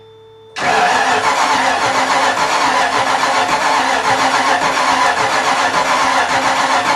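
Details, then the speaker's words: Miata with a 5.0 V8 swap, first start: the starter cranks with an uneven, ragged chuffing that never settles into a clean firing rhythm. Ignition timing is off; it started once the distributor was turned the other way. "Anyway, I was able to push it all because I kept finding that it didn't sound right when I was trying to turn that starter. It sounded like something was just not firing properly."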